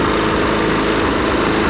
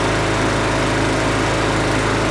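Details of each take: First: Husqvarna 510 MD push mower that had hit something hard with its blade, running before repair. Loud, lumpy, sputtering run with visible shaking; the ignition timing is suspected to be off from a sheared flywheel key. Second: Husqvarna 510 MD push mower that had hit something with its blade, running after a new flywheel key was fitted. Steady, even drone with no sputter or surging; slight vibration remains from a small crankshaft wobble.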